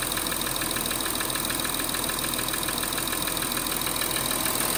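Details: 2013 Audi Q7 3.0 TDI 245PS cold idle: light even tick until 90° operating temperature, strongest at top end driver's side near EGR cooler vacuum actuator; injector swap, new lifters and rockers didn't change it; source unknown.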